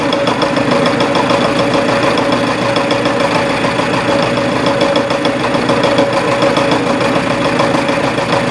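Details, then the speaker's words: Reverse boring on a mill taking 0.020 in cuts, below 107-108 sfm: steady rough rapid hammering rattle of a boring bar on a highly interrupted cut; finish better than expected. "here's a what 20 thousands inch cut sounds like you it's still highly interrupted and hammering but the finish is not near as bad as I thought it would be"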